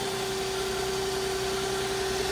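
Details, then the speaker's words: Used Nissan Altima with oil leaks and the ABS light on, at startup idle: smooth, even idle with a thin, constant slight whine above it and no knocking. The whine's source is unconfirmed. Whine at idle. "the slightest bit of a wine, I'd say."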